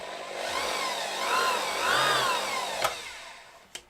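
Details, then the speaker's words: Restored old bandsaw with newly assembled variable-speed electronics, quick test before the rollers and blade go back on: a steady motor whir rising and falling smoothly with the speed knob, no knocks or grinding; all works fine, normal motor run. "All works fine. That's the electronics."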